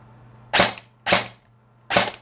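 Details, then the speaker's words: Airsoft gun during motor height adjustment: three crisp single shots, each a sharp snap with short clean cycle and no grinding; motor pinion and bevel gear meshing properly, quiet gearbox. "I know I put it two full turns so I'm going to do one two that sounds pretty good right there"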